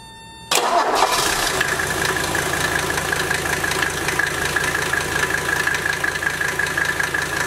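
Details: Mercedes W123 turbo diesel after removing original air intake, turbo wheel has no play; cranks and catches at once, settles to steady diesel clatter with even turbo whistle: normal turbo diesel start and idle.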